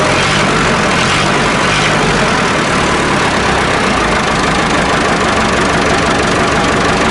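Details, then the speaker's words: Massey Ferguson 1080 tractor (likely ex-French, bought as a scrap non-runner with fuel, battery and electrical problems), just started cold with ether; loud, steady diesel clatter with an even beat and no misses. Normal idle. "now i'm really pleased with that not missing a beat"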